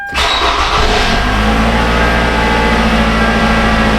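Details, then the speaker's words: Toyota Camry that died six months after its hacked wiring was repaired, starting after a new part and retainer were fitted: brief crank, catches at once and settles to a steady even idle, no misses or knocks; running like a boss. "Oh yeah. Running like a boss."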